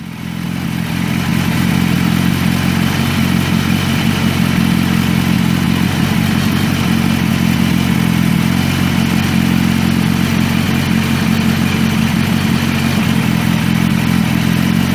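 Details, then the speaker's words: 2016 BMW S1000RR after its first oil change, started with oil still about half a liter low to check for leaks: steady, even idle with a smooth low hum and no knocks or rattles; normal idle. "Okay, I'm going to go ahead and start it up and just make sure we don't have any leaks."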